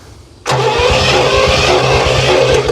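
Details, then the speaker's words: 1968 Oldsmobile Toronado 455 big block, first start after about 44.5 years sitting in a barn: the engine catches and runs loud and raw with sharp popping puffs at every firing; exhaust leak from a pipe that is disconnected, not rotted. "okay we obviously have some exhaust that's not hooked up I can hear which is probably that stuff"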